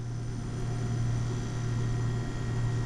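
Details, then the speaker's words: Refrigerator condenser fan after replacing the squeaky condenser fan motor: steady, even low hum with no squeak or chirp; running smoothly, normal. "That is sounding so much better. Oh my goodness."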